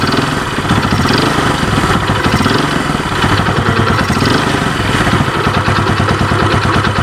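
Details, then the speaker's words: Yamaha Vega ZR after repair, exhaust refitted, battery faulty so kick-started: small single-cylinder putters at a steady, even idle, no longer dying when throttle released; fairly smooth and healthy. "lepas gas tidak mati lagi karena penyakitnya sudah diobati ini sudah lumayan halus garing garam tinggal kita pasang gir belakang terus kita tes"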